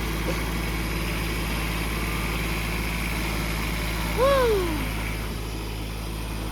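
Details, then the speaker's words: Kubota D722 diesel on Carrier Supra 850 reefer of a Volvo VNL780, first start in weeks after bleeding air and tightening last injector line: steady even clattering idle, no misses; running normally. "We did it. that thing sure did jump to life. Once I got that last injector line tight, that thing went crazy."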